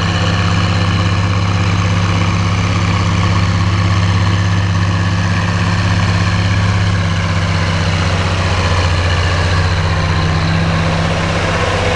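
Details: Oliver 1550 diesel tractor pulling a JD BW disk about 6–8 inches deep, running well once whatever was in the fuel system cleared: heavy, even drone dipping slightly in pitch as load comes on, firing stays smooth.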